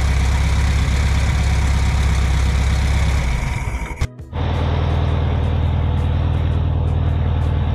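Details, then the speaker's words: 1964 VW Beetle air-cooled flat engine, sat 8-10 years, running after carburettor cleaning: deep, steady, even thrumming idle, briefly dipping then settling; runs healthy and smooth. "This was really surprising. The engine runs really well, once we decided to clean the carb out."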